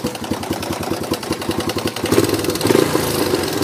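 Small single fires up, idles with an even popping beat, then revs up cleanly, so the engine runs fine.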